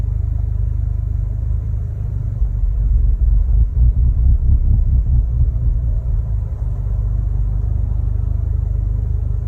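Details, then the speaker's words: Mk3 Audi TTS at idle before fitting APR coil packs and NGK spark plugs: low, lumpy rough idle hunting, dipping below 400 rpm and surging to about 1500 rpm, misfire. "so as you can see from the video it's running rough it was sort of getting confused not really knowing what to do either was dipping right down sort of below 400 and then shooting up to like 1500"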